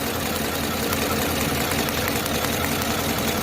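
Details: 2021 GMC Tahoe V8: slightly uneven, lumpy idle, the rough rhythm of a cylinder misfiring at idle.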